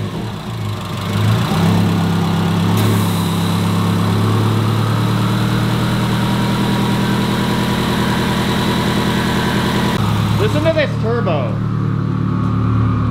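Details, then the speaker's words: Subaru WRX with STI 6-speed swap, turbocharged, restarted after cooling because it won't idle when hot (owner suspects front O2 sensor, no check engine light); steady low idle with faint turbo whistle, no knocks; normal turbo idle. "I'm not 100% sure, but that turbo looks good, and all I hear out of the exhaust is turbo, and it sounds beautiful."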